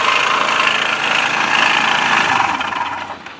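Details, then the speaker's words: Bashan BWS 2 scooter bought new by first owner, who noticed a strange noise: sharp rattly tapping over the small engine's idle before it dies away; engine knock, source unclear, variator cover to be checked first. "и получается что когда заметил он что у скутера какой-то посторонний звук появился"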